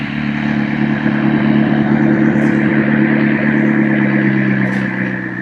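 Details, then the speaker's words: McLaren 650S with a suspected blown engine or overfilled oil, long-sat car with new fuel added, restarted after a rev and smoke check: steady, even idle with a smooth hum and the RPM gauge twitching less; normal idle. "That's running a lot smoother. Is it? As far as, yeah, the RPM gauge isn't twitching as much."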